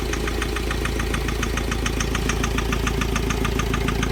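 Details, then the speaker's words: Mahindra Scorpio mHawk diesel at idle: sharp metallic tapping about three per second, loudest from one cylinder; firing checked equal on cylinders 1–3, sound linked to EGR valve and low boost. "कोई सी भी गाड़ी लेकर चलो तो उसके अंदर अगर boost कम बनता है तो हमारी इंजन की तरफ से कड़ कड़ क इस टाइप का साउंड"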